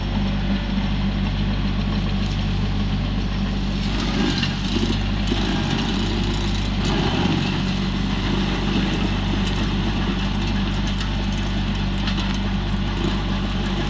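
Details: Used 2018 Woodland Mills WG24 3-point stump grinder on a tractor PTO, grinding a beech stump: steady tractor drone at working revs with rough surges as the wheel bites, holding speed without bogging; working normally.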